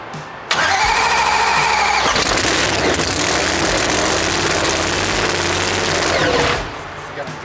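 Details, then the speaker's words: New engine for a Bad Blood NPK race car, primed with oil and fired: it catches instantly and holds a loud, steady, fast roar for about six seconds, then drops back; a clean first start, though an injector is leaking. "well guys the first fire up uh it fired up but we do got an injector leaking"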